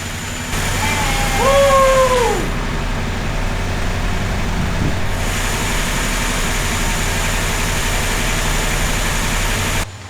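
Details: Chrysler engine with an Edelbrock carburetor, fuel line bypassed and fuel poured into the bowl: catches with a brief squeal, runs rough and uneven for several seconds, then cuts out; fuel starvation to the carburetor suspected, not confirmed.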